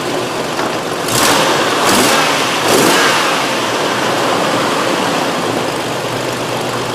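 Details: 2001 Nissan Frontier 3.3 V6, check engine light on, P0302 cylinder 2 misfire stored; engine blipped through revs with an uneven, stumbling beat and hood shake; cylinder 2 confirmed as the weak cylinder by cutout test, spark present, root cause not yet found.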